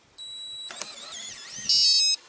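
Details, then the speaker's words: RV Lock keyless entry door handle after taping over the piezo speaker opening with Gorilla Tape: two short beeps with a quieter chirp between, noticeably softened, lock cycling normally; beeping a lot more subdued. "definitely the beepings a lot less on it yeah that's a lot a lot better a lot more subdued"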